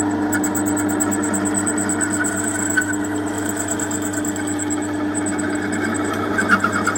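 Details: Homemade mini metal lathe: steady motor hum with a smooth, even spindle whir and no knocking, rattling or grinding; lathe running normally.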